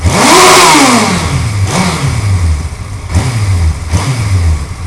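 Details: Suzuki GSXR 1100 motorcycle revving up and dropping back, with a light, uneven tick over the exhaust; engine ticking, source not pinned down.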